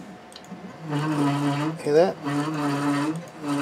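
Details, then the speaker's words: 3018 CNC upgraded to an MKS DLC 2.0 board running GRBL with TMC2208 Trinamic stepper drivers, axis jogging: steady buzzing whine with a brief rising chirp as the move changes; abnormal stepper noise, cause unknown. "i mean i have to figure that out why it's making that noise but it's not a deal but yeah that's trinamic drivers running durable"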